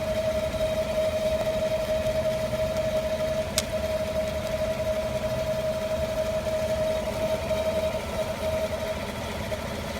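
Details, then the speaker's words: 2015 5.3L V8 truck with 8k miles idling: steady mid-pitched hiss or whine that comes and goes sporadically; owner calls it a vacuum noise; fans, AC, heater and accessories off, belts fine. "Sporadic. Hear it going away and come back. There it is again."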